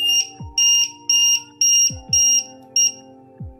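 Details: 1-8S lithium/LiFePO4 low-voltage buzzer alarm set to trigger below 2.7V, fed about 2.16V: sharp, high-pitched, evenly spaced beeps about twice a second, sounding because the voltage is below the threshold.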